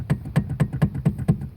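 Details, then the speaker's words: 2005 Chevrolet Silverado 2500HD steering column, rattling about 10 years over bumps and slow turns, intermediate shaft already replaced without fixing it: dull hollow clunks as the shaft is rocked by hand showing heavy play; worn steering column bearing. "This is a noise I've been dealing with for about 10 years. And uh so glad I'm going to get it fixed. Check this out. Like that's how much play is in this thing."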